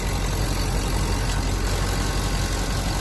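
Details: Serpentine belt that had squealed, restarted after silicone lubricant was sprayed on it. Steady, smooth idle with no squeal or chirp. Belt now runs quiet.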